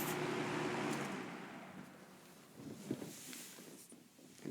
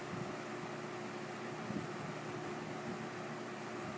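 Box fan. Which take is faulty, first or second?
second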